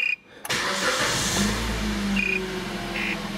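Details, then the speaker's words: 2009 Kia Ceed wagon, 72,000 km, electric power steering: after reassembling the steering column to cure a knock when turning (suspected rubber damper), wheel turns easily with steady hum and no knocks. "таких стуков нету крутится легко адаптация тут не нужно"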